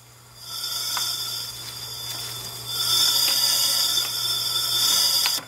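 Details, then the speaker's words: Steady high air hiss heard at the opened throttle body during a leak-down test, about 40% leakage, on a B20 VTEC turbo Honda Civic; intake valves not sealing. "Now you can definitely hear that right out of the throttle body. So that tells you that the valves on the intake side are not sealing, which means you have a leak on your intake valve."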